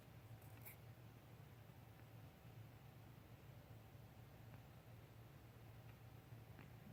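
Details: 2013 BMW 535i M-sport, 26,400 miles, parked with the engine off for 20–30 minutes: a faint, steady high whistle from the engine area over low hiss, from a failing AC compressor; gone after compressor replacement.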